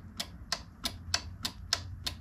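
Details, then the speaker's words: Scotts 15/42 lawn tractor: crisp clicks about every third of a second, seven in a row, from the anti-backfire fuel shutoff solenoid. It now gets voltage through a spare key switch after the original key switch failed to power it. "I had to put in this key switch because the one that the tractor came with was not making the antib backfire solenoid work so here's a spare part one just to use for testing see if I can do the key switch there you go hopefully you can see that but now we're now we're getting voltage should be able to hear the"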